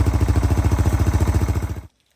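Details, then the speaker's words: 2016 Yamaha TTR-230 dirt bike, owned 7–8 years, after carburetor removed and cleaned, started without choke; even single-cylinder thump at steady fast idle, then switched off cleanly, running better than ever. "Jeez, that sounds really good. Watch Riley. I normally don't drive in sandals, but wow. All right. She sounds better than she ever did."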